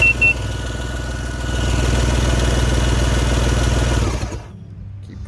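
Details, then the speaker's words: 2000 Yamaha GP1200R Millennium Edition PWC, rebuilt motor with new plugs, cylinders full of water: starter cranks steadily about four beats a second without firing, to push water out before cleaning plugs and oiling cylinders. "so i'm just gonna continue to keep doing this and uh hopefully we get all this water out clean the plugs put it in sometimes if there's a little bit in there it'll start up and then it'll push the rust out but"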